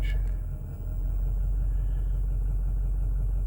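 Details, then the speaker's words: 2008 Ford F450 6.4 Power Stroke diesel with intermittent crank-no-start and no throttle response: low, even idle with no stumble or hunting for now, before it later stumbles on its own; worse cold but also hot. "sometimes it'll start sometimes it won't start now it's working very strange"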